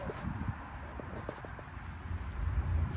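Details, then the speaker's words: Fast run of sharp, light clicks, five or six in half a second, from a fuel injector removed from a 2014 Ford F150 and bench-tested with 12 volts; this injector works well, unlike the silent third injector, which is open. "right, try to listen. You can hear it like click, click, click, click, real fast. I mean, it does like pretty good."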